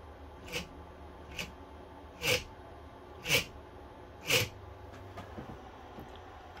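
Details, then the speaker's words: Aging 3D printer bed stepper motor: sharp ticks about once a second, twitching in place without turning though bed moves freely by hand; stalling caused by a broken cable, not the motor. "let us go over real quick what it's like when a stepper motor begins to fail the problem may not be a stepper motor but the symptoms of it failing make it seem like something else is going on"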